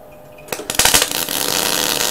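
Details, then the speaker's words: MIG welder with wire speed set too high: arc strikes with sharp pops then an uneven frying crackle, popping and spitting felt through the gun as bang-bang-bang, not penetrating, lumpy bead; fix is backing off wire speed. "you can actually feel it going bang bang bang bang bang bang bang with a gun like it's popping and it's spitting"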